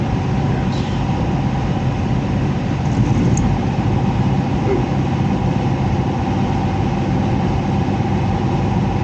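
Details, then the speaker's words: Heat pump blower unit with electric heat: loud, rough low rumble droning at constant speed with no clean whir. The fan wheel is damaged ("all jacked up") and hard to replace without dismantling the unit. "fan wheel is all jacked up and even if I had to replace a fan wheel I couldn't get it off there without ripping the whole thing apart"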